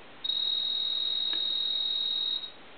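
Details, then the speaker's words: Single-piece duck telephone on an analyzer, ringing: thin, high, steady buzz about two seconds per ring, stays faint; ringer buzzer far too low on the ring cycle. "but it's not very loud. And a lot of them weren't loud, but uh in this case, this one is way too low on the ring cycle. Um and you can barely hear the PO buzzer."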